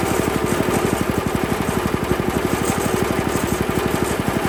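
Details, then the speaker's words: Honda GX160 on a Workman 2 cement mixer with the idle screw just under two turns out: it idles unsteadily with a quick chuff, then dies. The finding is tight valve clearance. "well I would love to say that that's the end of this one folks great video thanks for watching but I didn't shut this off it died"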